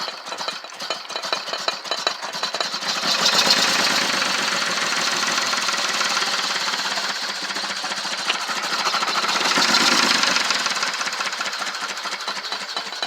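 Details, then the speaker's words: 1978 Jaguar XJ6L, first drive in the driveway after 25+ years stored: uneven, lumpy engine note surging and sagging under load with stumbling beats; running rough, fuel system still needs work. "Although it's very sketchy, and I'm trying not to catch myself in the car on fire, but hey, we got it moving in the driveway under its own power."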